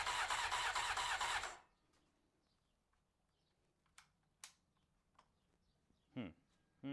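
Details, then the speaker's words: 1993 Honda CBR900RR, first start attempt after spark restored: about a second and a half of steady starter cranking with no firing, then only clicks; no fuel reaching the carbs. "let's see doesn't feel to me like the fuel pump is are we getting fuel that's doesn't at least I don't feel so that is the question why are we not getting F"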